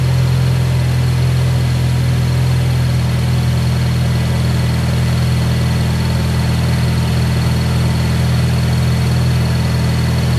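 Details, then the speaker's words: Car idling after relocating the MAP sensor, with a shorter vacuum line to the vacuum block: a steady even hum with no hunting or dips. Smooth, healthy idle; the relocation made a difference. "so there you go guys cars turning on nice and smooth I can already tell I made a difference changing the map location um yeah everything running smooth"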